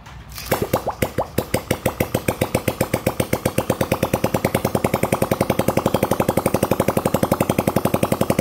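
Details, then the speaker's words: Old Honda Cub 50 engine after repair, pull-started, with the exhaust held on but not yet bolted; crisp even pops settle into a steady rhythm with no knocks, a very smooth healthy idle. "Đây là một cái động cơ máy móc rất là êm anh em nha"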